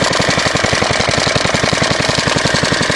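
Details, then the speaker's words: Fairbanks Morse Z style D engine, believed 1938, believed rated 1500 rpm, not yet tuned, mixture needle due for replacement; fast, sharp, slightly uneven exhaust beats, running too fast and misfiring, erratic running at high speed. "still not running right you can hear it misfiring"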